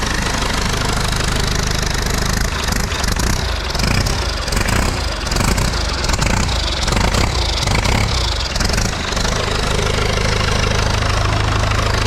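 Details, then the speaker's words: Salvaged diesel engine from a rolled backhoe, run on a test hookup: loud, deep, steady chug at fast idle, no odd knocks, lots of smoke but runs good. Normal diesel running. "check out all the smoke runs good though"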